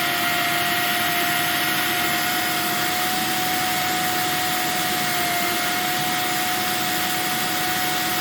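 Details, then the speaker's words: Electrolux 1505 Silverado canister vacuum, refurbished, running without power nozzle or wands: steady motor roar with a thin constant whistle on top; owner suspects the small hole to the automatic control valve or the inlet shape. "oh and you'll hear a little bit of a whistling noise i think it's from the little hole inside here that would usually lead into the uh the automatic control valve or maybe it's just from the shape of the inlet i don't know"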